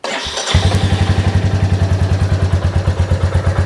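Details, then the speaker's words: Royal Enfield 350 (J-series) idling with the stock OEM air filter, before fitting a DNA filter: the single settles into a quick, even thump with a steady rhythm and no ticks or rattles; a healthy idle. "but before we do that we want to test what it sounds like before with the stock OEM"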